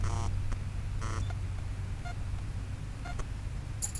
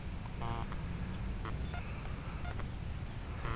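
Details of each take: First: Blade 180 CFX RC helicopter with 5100 KV motor and Castle ESC, at throttle hold: short chirping startup tones over a low rumble with no double warning beep; ESC arming normally. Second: Blade 180 CFX helicopter with a 5100 KV motor, Castle ESC set to 5100 KV with governor settings of 4000/4300/4600: after a 3-minute flight, short high double beeps repeat about every second, the ESC's overheat warning, while it cools.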